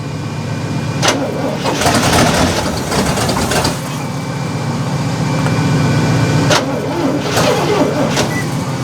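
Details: 1972 Cadillac hearse, first run after sitting since 1995, no mufflers, timing being adjusted: uneven catching and surging with sharp pops between bursts as the engine barely keeps running on starting fluid.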